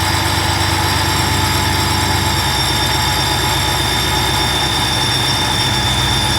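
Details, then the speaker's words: Newly installed TorqStorm supercharger, intercooler and blow-off valve, at first start after battery charge, still in break-in: steady deep V8 idle with an even, high constant whine; normal, not very loud blower whine. "the superchargers really all the superchargers really knocked that crazy loud when it's idling I mean you definitely hear the whining noise and it's you know still brand new it's still got break-in but it's really not that loud"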